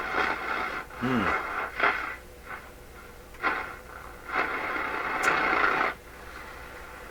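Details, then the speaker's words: Florida AM/FM/SW tube radio with the tuning capacitor shorts cleared, still weak on AM and FM: faint programme under hiss, volume dropping as a hand nears the antenna and rising when it is touched, weak reception, cause not yet found. "as I approach it listen you're it getting quieter and then in the end when I touch it it gets louder again"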